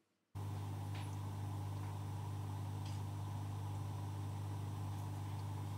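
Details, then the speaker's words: Oase Biomaster Thermo 350 aquarium canister filter after maintenance and priming: steady, even low pump hum with no clicking or rattle; normal quiet running. "donc la petite minute 2 vidéo qui va suivre ça sera effectivement le bruit de l'appareil en fonctionnement sous le silence le plus absolu écoutez bien"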